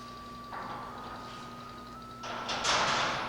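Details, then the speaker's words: FM radio troubleshooting, signal generator at 1000 kHz, 22.5 kHz deviation, about 20 V peak-to-peak fed at test point one to the 8-ohm speaker: faint steady high tone under room noise; speaker reproduces the test signal, speaker good. "i can hear it i can hear the speaker i can hear it lightly you can go as low as 10 volts peak to peak and possibly hear the speaker but i can hear it i know my speaker is good"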